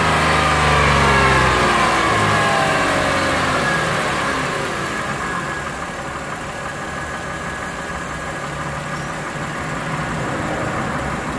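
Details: Lexus RX330 with 3MZ-FE engine, warm, revs raised to 1,000–3,000 rpm and dropped back to idle; a regular knock of about four per second rides the idle under the hood; owner unsure of cause, suspects piston knock.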